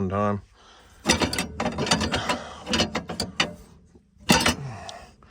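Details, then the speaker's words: Ventrac mower with Tuff Cut deck: harsh irregular bursts of metallic clattering and ratcheting from the deck between quieter gaps; something broken in the cutting deck. "it's uh makes a lot of noise when that happens and uh it's not good"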